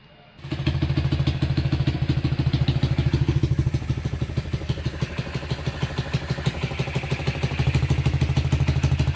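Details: Honda Tiger single-cylinder engine after restoration, idling: fairly smooth engine note masked by a sharp puffing chuff on every beat from an exhaust leak, as only one exhaust header bolt is fitted; clutch clunk considered normal for Tiger.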